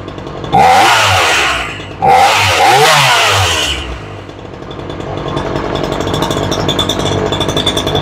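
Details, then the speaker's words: Ryobi 3818 chainsaw, adjusting the high-speed screw: two sharp screaming revs that fall away, then a fast, uneven idle; high-speed mixture is slightly lean and needs a little more fuel. "it's pretty close little bit more fuel on the high side"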